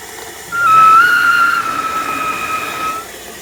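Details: New Saniflo Saniswift pump installed 20 April, used for about three washing loads a week: high steady squealing/screeching held about two and a half seconds.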